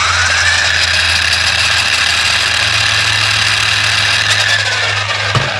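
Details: Traxxas E-Revo 2 RC car on the stand after replacing the broken motor with a new one: steady, even high whine over a smooth low hum at constant speed, no roughness or cutting out; motor running healthy.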